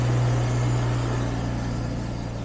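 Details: Jaguar XJS V12 convertible on a lift, automatic transmission worked through the gears after service, being checked for a slight whine it made when cold: steady even low hum in gear, no whine; transmission sounds healthy.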